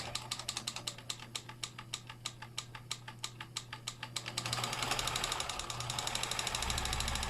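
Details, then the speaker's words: Stuck Kenmore sewing machine after freeing and lubricating: sharp even ticking, then louder continuous clatter as it speeds up; runs but rough and noisy. "there we go that's the part I like the best my name's sake make it so sucker's going to sew but it is making some noise"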